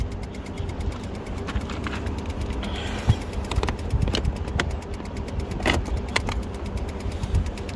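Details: Honda Civic (2008–2010) after engine replacement: starter clicks and turns over in uneven bursts but engine never catches; crank no start caused by disconnected engine ground strap.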